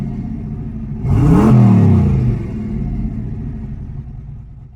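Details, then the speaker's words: Freshly refreshed twin-turbo 351W V8 on first street drive, pulling away gently under light load: deep, even rumble swells then settles, no knocks or misses; sounds healthy, idle possibly a little high. "first ride is in the books. Sounds good, still sounds good, so we all good there."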